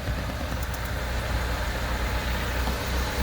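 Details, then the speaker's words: Chevrolet Corsa Classic idling: low uneven croaking pulse about three per second, like a frog, from a torn EVAP canister filter hose; fixed by cutting and refitting the hose. "o dono do carro reclamando de um barulhinho parecendo um sapo na lagoa"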